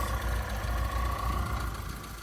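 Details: MGB GT petrol four-cylinder after about 12 months stored, warming up to temperature: low, steady idle pulse with faint even hum, settling smoothly; healthy four-cylinder tickover, normal idle.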